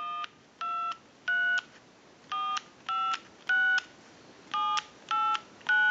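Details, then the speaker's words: Bell South clear Lucite Trimline telephone after repair, set from pulse to tone mode and dialing into a line analyzer: nine crisp, evenly timed DTMF beeps. It came in unable to dial in pulse or tone; now normal tone dialing. "and now we can dial out if you watch the analyzer we're in the tone mode and that's where we want to be because everyone's going to use this telephone in the tone mode since we have a setting from pulse two tone"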